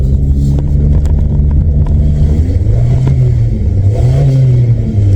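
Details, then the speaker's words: 1997 VW Vento (Mk3 Jetta) automatic after a gearbox service with fluid drain and new filter and gasket (old filter found fallen off): revs climb and fall under load with no upshift. Stuck in first gear only, no reverse. "No, now I don't even have second. No, I have none. Are you kidding me? I've only got first."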